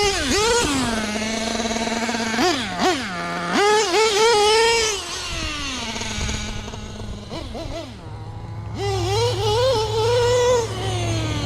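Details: Nitro LST RC truck with replacement engine and self-rebuilt carb, still running super lean on the bottom end: high-pitched buzzing revving up and down, bogging and hesitating at low throttle before picking up; new carb or full rebuild planned.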